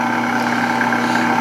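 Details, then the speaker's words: Meat slicer after repair of its shipping-damaged blade: a steady, even motor hum, and the clinky clicking it made before is gone. "so that clicking noise doesn't work anymore it's not there anymore"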